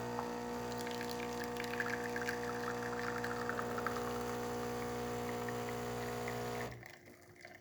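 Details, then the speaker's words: Philips super-automatic espresso machine after cleaning service, test shot with pre-ground coffee: even pump hum, steady pour, clean stop; brewing normally. "as you can see still working as intended and that's about it for this quick fix"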